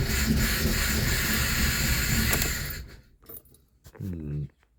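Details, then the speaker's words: Old Fiat bought for resale, started after replacing a suspected fueling-related sensor: uneven, lumpy low chugging with an unsteady beat before cutting out; still running rough, owner suspects failed ignition coil packs, engine code to check. "NOP still sounds like crap uh I will see if that's same engine code I will need to clear that actually uh I think the ignition cor packs are gone as well"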